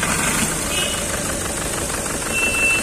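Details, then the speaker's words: Skoda Rapid petrol engine idling with visible shaking and an irregular low thump; misfire with rough idle, check-engine light on, scan points to cylinder two injector circuit; low pickup, injector servicing. "आप देख सकते हो इसका engine कितना हिल रहा है इसका तो इसका इंजन मिसफायर हो रही है"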